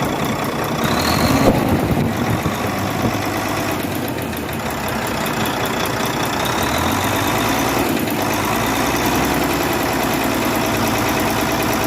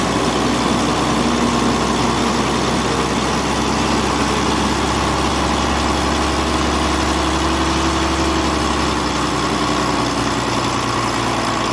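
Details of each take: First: Volvo D13 truck diesel idling with a fast, light valve-train ticking over the clatter from excess valve clearance; the fix is adjusting valve clearance and injectors. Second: Volvo truck diesel (D13) idling, valve clearance and injector adjustment done for an engine ticking noise; even, steady deep rumble with no ticking, valvetrain quiet and settled.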